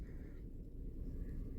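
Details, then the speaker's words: 2017 Dodge Durango 3.6 V6, 133,000 miles, at idle: rough, lumpy low rumble from a hard cylinder 2 misfire, not noticeable when revved; code P105D intake valve stuck in high lift also stored. "What I can tell you right now, it is a hard miss."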